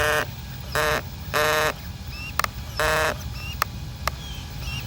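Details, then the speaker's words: Failing steering servo on an RC truck, likely with the wrong servo horn (the original had a spacer): short buzzing bursts as it steers with sharp irregular clicks between them, not caused by rubbing; the servo later stops spinning. "here you go that's the servo noise and I don't think it's because it's rubbing"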